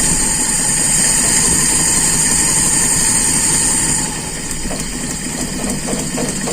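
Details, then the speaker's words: Carburetted engine during air-screw adjustment, accelerator pump not fitted, RPM raised: lumpy, uneven stumbling idle about three beats a second over hissy intake; one spark plug wire was left disconnected. "Nah ini apa kabel businya belum kita pasang Ya Allah kaget"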